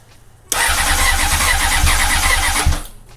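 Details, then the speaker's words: 2004 Honda CBR600RR after new throttle cable and levers, fuel line just reconnected: starter whirs for a couple of seconds with only a faint grumble, never catching while fuel is primed; cranks but won't start, cause unconfirmed. "Okay, I heard it grumble a little bit, so it's definitely. Keep priming it."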